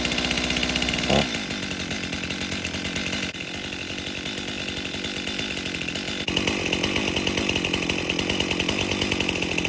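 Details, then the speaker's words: 2018 Stihl MS261 M-Tronic chainsaw, customer complaint boggy and hard to start when hot, tested cutting on a 95°F day: bogs and strains, revs dropping, chain so dull it won't pull through wood, possibly causing overheating. "So, right off the start, can't even test that saw. It's so dull. It will not pull itself through the wood."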